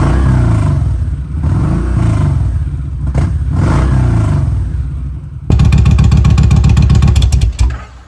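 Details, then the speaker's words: 2016 Kawasaki Vulcan 1700 V-twin with a loud exhaust, cold start warming before an oil change: deep loping burble that blips up crisply and settles back, clean and even; healthy cold start and revving. "You guys can hear this exhaust. He's got a pretty nice exhaust on this thing. All right, you settle down a little bit. Let's give her some rev."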